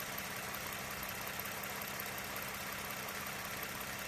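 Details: 2009 Lexus RX350 3.5 L V6 2GR-FE after water pump replacement, warmed up until thermostat opened, no leaks: even, steady idle hum with no ticking, knocking or bearing whine; engine running healthy.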